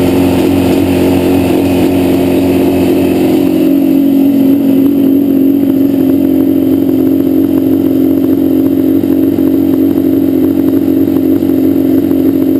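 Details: Yamaha Banshee two-stroke: uneven, lopsided idle and revs, left cylinder misfiring and dropping out, pipe not warm at idle; carbs rebuilt, balancing tried, air screws adjusted, problem doesn't follow plug; cause unknown.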